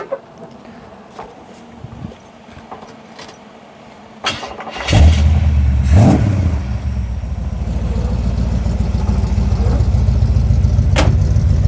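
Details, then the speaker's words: Restored Holden HZ Kingswood: quiet, then cranks, catches with a rev and settles to an even, not too loud, deep rumbling idle; healthy start. "Nice, it's like not too loud, but it's that deep rumble."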